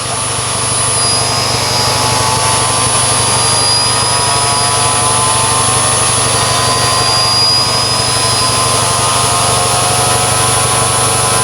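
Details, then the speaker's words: Haldex pump priming, mic held close: a steady, thin, high-pitched whine that is unusually quiet, which may mean the pump is slightly worn. "Yeah, it's really quiet, this pump, which can indicate that it is slightly, do you know, worn from being around."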